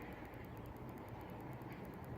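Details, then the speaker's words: BMW E60 520d parking distance control (PDC) system check, testing the rear bumper sensors. Quiet, crisp, even high ticking at about eight per second from a sensor, which is working normally; the rear sensors are okay. "you're clicking ticking sound so the back is okay"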